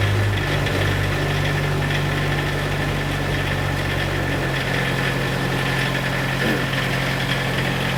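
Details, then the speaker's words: PCI Self Generating Nitrogen Servicing Cart (SGNSC/GANG) engine warming up at about 1500 rpm idle after start: a steady, even drone with no knocks or misses; a healthy, normal warm-up idle. "Around 1500 RPMs, you want it to idle for a while, let it warm up."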